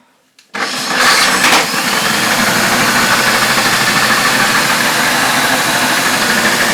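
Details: Hoover F3871 three-brush suction floor polisher, first run after unboxing, brushes very stiff to turn, smelling. Harsh high motor whirr with a loose, uneven clatter; something rattling inside, cause not yet found.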